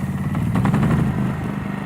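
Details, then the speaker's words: Champion 4500 watt enclosed inverter generator, model 200987, started by wireless remote with automatic choke: small engine catches and settles into a steady, even drone with no misses or knocks; running normally. "And it's literally that simple. Up and running. So let it run."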